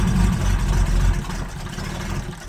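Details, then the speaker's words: Abandoned Jaguar XJRS V12, makeshift fuel supply, timing not yet correct, throttle jammed half open, possibly flooded: low rumble runs briefly then sags and fades as it stalls; owner suspects fuel pressure problem. "there it runs out at fuel pressure. And I've tried a couple times. When I get to get it running, I run over there and turn on the fuel pump and it dies immediately the second I get the pump on."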